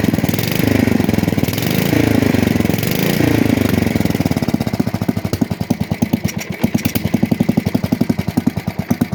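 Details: 1966 Custom 6 engine after reassembly with a new starter-generator bearing, pull-started off the pulley side. The single cylinder pops evenly after a rough start and settles into a steady, regular beat. It smokes from water in the bore and cleaning oil on the block. Normal running.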